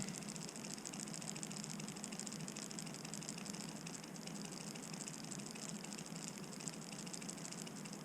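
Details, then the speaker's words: ABU Garcia 6600 C4 baitcasting reel after replacing a worn pawl that hung the line guide on the worm gear during slow cranking: soft, even whirring while cranked slowly, no catches, clicks or line-guide hesitation; normal cranking after repair. "you can see I crack it real slow now and it's seems like it's fixed there's no hesitation in the line guide at all"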